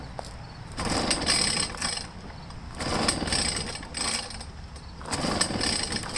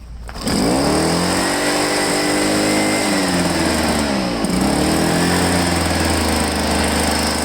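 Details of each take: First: Echo PB500H blower no-start, pull-started at full throttle; bursts about every two seconds, sputtering as if it wants to catch but never firing; suspected to be flooded. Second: Echo PB-500H two-stroke backpack blower, returned for a no-start, primer now rock hard, fuel line found kinked: starts and revs up and down, then settles into a steady high buzz, running cleanly.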